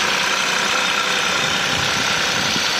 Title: Cold start making noise. Hyundai i20 1.0 TGDI 101 PS. Any idea?